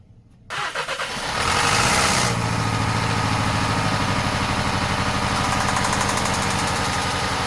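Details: VW Passat 1.8 TSI at idle with drive belt removed to isolate accessories: dull, regular knock persists under the idle; failed rod bearing.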